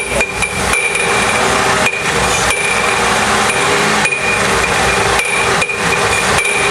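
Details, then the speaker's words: GM 3.8 engine: loud hard metallic clattering like loose metal banging, stops when revved, returns as rpm drops and at shutdown; harmonic balancer. "now if you hear that noise it sounds like something's cling inside the engine and it can kind of sound bad"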